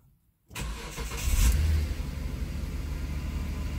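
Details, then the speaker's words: 2005 Hyundai Santa Fe 2.7 V6 (SM), next day fully reassembled after fuel filter repair: primed cold start catches within half a second, brief rev, then smooth even low idle; no longer starts and stalls. "and runs fine absolutely fine fantastic so there we are all back together and working now starting and running fine"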